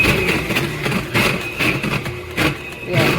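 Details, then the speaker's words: Aucma 6.5-QT 660W 6-speed tilt-head stand mixer running: harsh grinding pulses about every half second over the motor with a thin whine on top; the mixer walks and locks. Gears grinding. "So, this is the mixer that I've had and you can hear the grinding sound."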